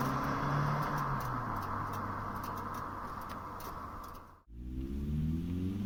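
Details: Vauxhall Cavalier GL, 45,000 miles, 1.8 litre engine with SRi 130 top end and GTE gearbox, road test after misfire fixed: smooth rising pull, brief lift for gear change, then pulls cleanly without stutter; normal acceleration.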